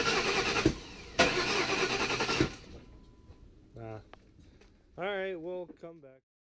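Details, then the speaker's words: 2002 Lincoln Town Car Signature Series 4.6L V8 after intake manifold gaskets replaced, leaking thermostat housing removed and refitted, and throttle body refitted: starter cranks steadily twice with no catch or firing; cranks but won't start, cause undiagnosed, code reader planned. "well we've tried crank it over a few times not starting so we're gonna go back to school tomorrow and get a code reader see if we get any codes and diagnose it"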